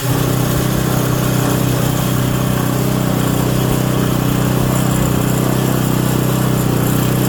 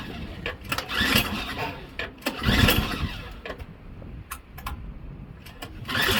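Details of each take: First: Auction Craftsman Series 2 snowblower engine with points ignition, continuity checked: steady, even putter that holds its speed without stumbling; normal running idle. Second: Craftsman Series 2 snowblower bought at auction: repeated rope pulls, each a short whirring burst dying away, never catches, ignition coil wire grounded; no spark.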